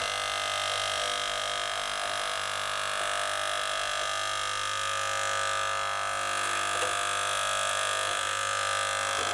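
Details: Gaggia Cubika espresso machine that heated and pumped but delivered no water, after disassembly, cleaning and syringe priming: steady even pump buzz with faint regular pulse, no straining; primed and pumping water normally.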